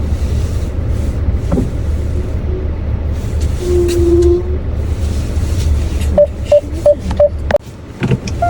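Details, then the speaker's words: 2025 Hyundai Avante (Elantra) CN7 at 6,000 km, about six months old, reversing into parking with brake pressed and wheel turned in winter cold: short repeated squeaks over a low rumble, source unknown. The dealer found no brake fault twice. "보통 후면 주차를 할 때 브레이크를 밟은 상태에서 핸들을 돌리고 후진을 하잖아요. 근데 그럴 때마다 끼익 하는 소음이 나요."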